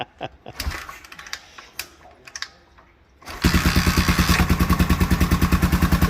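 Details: Honda XL 500R single that had stood for about 2–4 years catches after handling noise on first start of the revival and settles into a strong, even thump of about three beats a second; normal idle.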